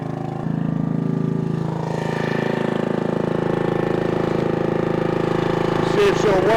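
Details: 1996 Brave log splitter, about 30 years old, revived after its engine had seemed to seize; splitting wood on a cold, windy day, a steady, even drone of about four firing pulses a second holds under load; healthy.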